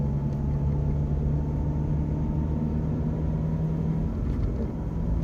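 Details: BMW 1 Series diesel driving in gear: low road rumble with a faint steady whine, quieter in 1st and 2nd, much louder from 3rd up, gone with clutch pressed or out of gear; gearbox whine suspected.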